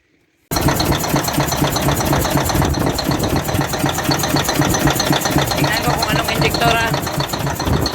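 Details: Caterpillar 988F2 diesel running with a rough rhythmic knock, about four beats a second, plus hard starting and heavy black smoke. The cylinder 5 injector hold-down bolt broke, letting the injector pop up, damaging its seals and leaking fuel.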